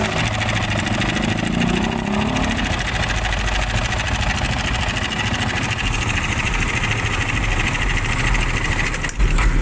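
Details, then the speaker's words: Motorcycle idling with the MBR1 manual cam chain tensioner slackened for demonstration: a fast, light metallic chatter over the beat. This is cam chain rattle, meaning the tensioner needs hand adjustment, without tools, to avoid wearing the chain guide. "So yun, pag narinig nyo na yun, kailangan ipapa-adjust nyo na itong manual tensioner."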